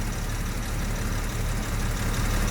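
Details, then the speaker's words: 1973 Jaguar XJ6 Series 1 Daimler Sovereign 4.2, first start since Christmas, now warm and off choke: slow, even idle around 600–700 rpm with a steady low burble and no misses, knocks or ticks; healthy. "you go running about 600 reps now yeah about 700 Rev she's about right"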